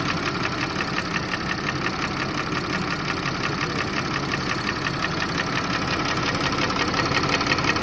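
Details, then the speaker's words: Audi A6 C6 2.8 FSI V6 at idle, knock appearing a month after oil change, cold and hot, vanishing with slightly raised revs, check engine light on: sharp regular ticking about three per second over steady idle; source not found. "Смотрите, двигатель 2.8 FSI. Когда запускаешь двигатель, смотрите, какой звук. Стук."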